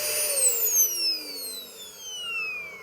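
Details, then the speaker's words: Curb-found 2013 Shark Rotator NV501 vacuum, first power-up: clean high motor whine falling smoothly as it spins down, no rattle or grinding; motor sounds healthy. "surprisingly sounds pretty good."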